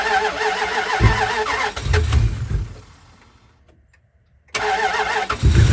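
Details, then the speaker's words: Dodge Dakota first start after a head gasket replacement, with antifreeze refilled and a used battery fitted. It catches quickly, then restarts and settles into a steady, even run while smoking a little. Normal start. "Smoking a little bit, but it's alive."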